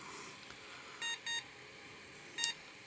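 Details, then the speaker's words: Mid-1990s PC after swapping in different RAM (floppy and hard drive unplugged): three short high POST beeps, two close together then one after a pause, over quiet room hiss; it then booted to BIOS. "sign sounds like mors code doesn't it"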